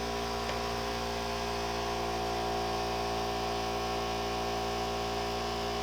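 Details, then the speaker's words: Air compressor running inside a new baffled quiet box with PEX shop piping, top not yet screwed on; steady muffled motor hum, even pitch, no knocking or rattling; about 15 dB quieter; small fitting leak noted. "It's not bad. About 15° 15 decel difference. It's not bad at all."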